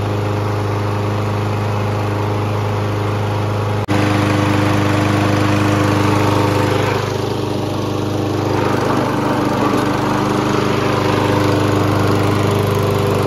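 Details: Toro Recycler push mower made in 2016, free and barely needing work: a steady, even single-cylinder drone holding constant speed with no misses or surges. Running healthy.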